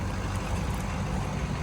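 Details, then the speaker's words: Ford 6.0 Powerstroke diesel manual truck with 72,000 miles and factory exhaust fires right up. It settles into a steady, even, low diesel rumble with no knocks or misses, idling smoothly and healthy. "Gosh dang, guys, fires right up. Listen to this old girl just sit here and purr."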